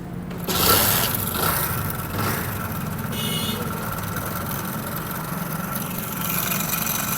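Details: Honda Pridor single idling with a loud, dry, fast metallic rattle from the top end throughout, before repair; worn timing chain, fixed by timing chain replacement.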